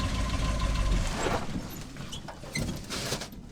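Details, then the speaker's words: 1968 Chevy/GMC K20 truck, sat over a decade, old gas; engine keeps running after key off, owner suspects coil still powered with two cylinders firing, stalled in gear with brake, clunking to a stop, heavy smoke. Run-on after key off. "I think it's running on two cylinders I shut it off in the coil still getting powered or something there's like two cylinders firing just enough that when I turn it back on it starts it up"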